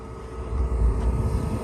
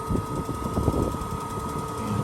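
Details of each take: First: RV propane furnace in Idaho, run monthly after sitting about a month, restarted after 30 seconds off: low rumble swells within a second into steady roar; ignition almost instantly, hot air coming out, normal operation. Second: Suburban propane furnace heard outside at its exhaust, propane off, cold inside; steady fan whoosh with faint clicks and pops as it tries to ignite three times without lighting. Furnace igniter firing without flame.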